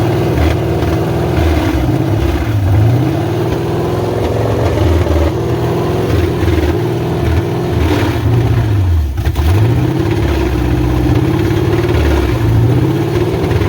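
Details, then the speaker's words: 1986 Chevrolet Silverado C10 with carbureted Vortec 350 swap and TH350, first fire-up on a temporary worn carburetor, timing advanced nearly all the way: V8 settles into a steady lumpy idle with throttle blips, no knock or tap heard, so nothing wrong in the motor. "all right well she runs i mean i don't hear no knocking or nothing so it ain't nothing in the motor"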